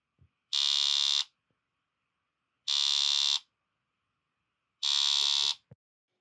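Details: Keihin LPG gas injectors (125 ohm coils) removed from PRINS VSI system, driven on a bench tester in single-pulse mode: three high, shrill buzzes under a second, about two seconds apart; injectors chatter normally.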